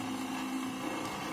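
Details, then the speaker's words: Ventisol electric fan brought in for noise and a blade that would not turn: motor hums at a steady pitch with a rough buzz and no strong air rush; the blade slips loose on its shaft. "ele faz barulho não gira a hélice E vocês viram que ele tava girando né"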